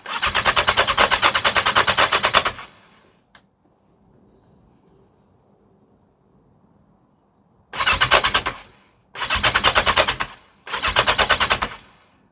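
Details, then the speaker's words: 1982 Yamaha XJ750 getting fuel, sprayed with plenty of starter fluid: bursts of fast, even cranking, about three turns a second, no catch or firing; cranks but will not start, cylinders cold with no exhaust fumes. "that's way too much see that amount of starter fluid and I'm not even getting"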